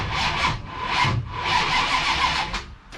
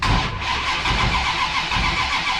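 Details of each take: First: Ratty Challenger drag car, 440 race engine with a big cam, mechanical-advance distributor and no vacuum advance, no exhaust: slow, labored cranking that strains on each compression; it cranks fine with the ignition off but hard with it on. The owner suspects timing is changing; cause not confirmed. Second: Ratty Challenger drag car with a 440 race engine, MSD ignition and mechanical-advance distributor: a brief, even crank with the ignition off that spins freely. With the ignition on it cranks hard, which the owner suspects is timing-related.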